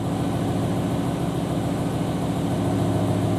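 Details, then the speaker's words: BMW M5/M6 (E60/E63) 10-cylinder at idle: low, loping rumble that stumbles now and then; spark-quality readout shows cylinder nine off the charts, dead misfire from failed #9 ignition coil, driver side on US models, before replacement. "the duration is looking like it's okay but for sure number nine there is off the charts something's wrong with it"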